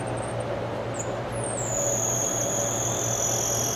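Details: Reflecta Type 1002 slide projector: steady high whir of the small changer motor over a low mains hum. The motor keeps spinning unchanged while the slide holder stays jammed and won't slide in.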